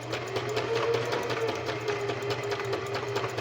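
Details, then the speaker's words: Singer sewing machine after its six-monthly cleaning, sewing fabric: even quick needle ticking over a soft steady hum with no grinding; the slight catching was a thread piece at the back. The machine runs smoothly and purrs. "hear how it purrs?"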